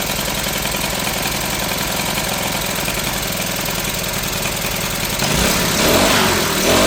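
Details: Troy-Bilt four-stroke backpack blower after Seafoam was added, choke off: a steady but slightly uneven buzz that rises in speed near the end, likely rich. The owner says it is not perfect, distrusts the filter, and has a new carburetor ordered.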